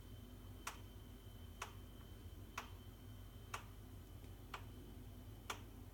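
Sharp single tick about once a second, evenly spaced over a quiet hum; the boiler is knocking repeatedly, cause unknown.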